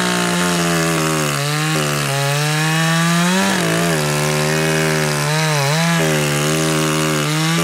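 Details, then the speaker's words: Two-stroke chainsaw in the cut, high-speed screw set rich for break-in: burbles and sags unevenly, pitch wobbling, clears up when leaned; running richer than wanted, high-speed screw to be turned in about an eighth turn. "Actually, it's running a little more rich than even I would want for break-in. You could hear the difference quite obviously."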